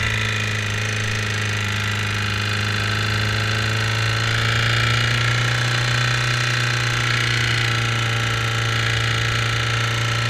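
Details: 2008 Suzuki GSX-R600: a light, fast top-end tick at idle, about four per second, knock-like on recording. The oil light comes on almost instantly when the clutch is pulled in, temperature is about 220°F, and the sight glass always reads full after a recent oil change. Cause not pinned down.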